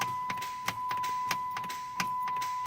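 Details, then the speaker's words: Chrysler 300, year unknown, no-start complaint: sharp single clicks every half second or so over a steady warning chime, no cranking; usually indicates the starter solenoid coming apart or not plunging internally, suspected not confirmed. "do that that is usually indicator of your starter solenoid coming apart okay or internally not plunging"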